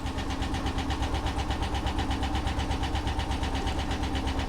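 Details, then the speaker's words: 1977 Ford Bronco at auction, idling with 40 PSI oil pressure: fast regular tapping about six per second over an uneven, loping idle with a dead miss; suspected lifter damage, not confirmed. "oh that's a shame that's a shame yeah that sounds like lifter damage"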